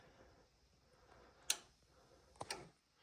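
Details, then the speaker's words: Gas furnace with no heat, board flashing three times, suspected pressure switch, standing water, thermostat jumped: sharp relay clicks with no blower hum after; inducer (purge) blower motor stuck. "more clicking and our Purge blower is stuck weird noises"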